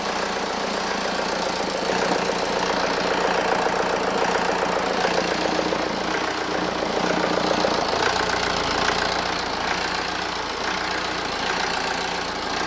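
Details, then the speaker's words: BMW E91 LCI diesel, used replacement engine with new timing chains, freshly installed after fuel bleed; even idle clatter with no misses, knocks or speed wander; engine runs flawlessly, normal idle. "runs pretty damn good so this car it runs pretty good the engine is performing flawlessly"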